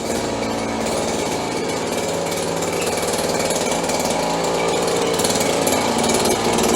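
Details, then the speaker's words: 30-year-old Stihl BG72 two-stroke blower on the bench once warmed up: high, steady buzz holding even speed without surging or stumbling; runs much better warm than on a cold choked start. "Runs much better when it warms up."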